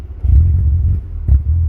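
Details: DSM engine after new timing belt, starting after a bad intake air temp sensor ground is bridged with a clip: two clean throttle blips, deep even rumble, no smoke, no shaking, revs normally.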